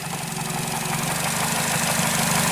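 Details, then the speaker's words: 2008 Nissan Versa, idle after A/C compressor clutch repair: idle rises and falls unevenly with small hiccups, and RPM drops match surges in the mass airflow data; hunting idle, cause not yet found. "customer has another complaint and said I idle the engine kind of surges it's kind of surging right now kind of hiccups"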